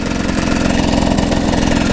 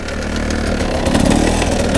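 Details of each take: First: GasGas two-stroke motorcycle riding in second gear after a valve-opening system screw fell into the bottom end. Even, rapid firing at steady revs, no knock or tapping. Normal in second gear; the knock occurs only in first. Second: GasGas two-stroke motorcycle with a screw from the valve-opening system fallen into the bottom end, heard being ground, possibly by the gearbox. Steady idle with a sharp, regular tapping over the firing beat, only in first gear. Owner suspects a damaged first-gear pinion.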